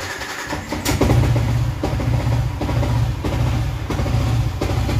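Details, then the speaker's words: Motorcycle built with piston dome, valve springs and a racing cam, plug-and-play and not yet tuned. On light throttle it gives a choppy thumping exhaust with irregular pulses and pops. Dyno run planned. "Kadang kena kadang kena kadang tak kena. A kadang ada yang susah hidup, kadang senang hidup, kadang timing cantik, kadang timing berterabur, macam-macam."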